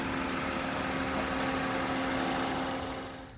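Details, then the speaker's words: 2012 Mazda 3 2.0L Skyactiv with a newly fitted HPS short ram air intake replacing the stock intake: steady idle with a clear hollow intake hum and hiss on top, smooth and knock-free; normal idle with louder intake noise. "What was that? That sounds better. You can hear the intake."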